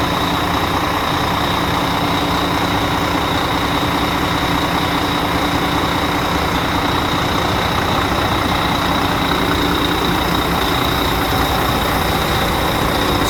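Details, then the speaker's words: Volvo FH12 truck diesel, cold start after sitting overnight, following engine reinstallation and an injector problem: an even, settled idle with a steady clatter, no knock or stumble and no smoke; running healthy. "мотор сейчас работает адекватно не дымит не коптит всё чётко"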